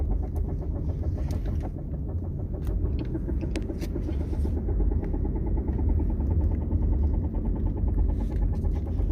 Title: Dodge Charger Thumping/Knocking Noise, Drive Shaft, ( loose bearings)